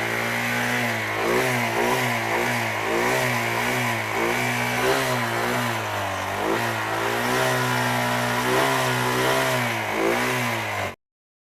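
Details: Royal Enfield Thunderbird 350X single-cylinder: blips up and down with a rough, uneven note through each rev; abnormal engine noise, cause not pinned down.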